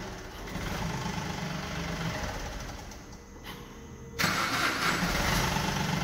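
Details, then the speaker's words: 2012 Chevrolet Beat diesel with cold-start problem (long cranking in the morning or after sitting), no trouble codes, after repair: a few seconds of cranking then catches at once and settles to an even idle; starts cleanly now. "मैं तुझे अच्छे से अब start हो रही है पहले बहुत ही ज्यादा लंबे सेल्फी लेती थी"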